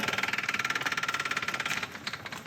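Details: B20 Honda Ballade with wheel hop, engine running: loud sharp rapid knocking about a dozen per second; source not pinned down.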